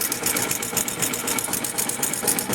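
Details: Yamaha FZ/FZR motorcycle at idle: fast, regular metallic ticking over a light idle; timing chain rattle. Only about 100 g of oil drained from the engine. Worn spark plug noted, and the carburettor needs cleaning.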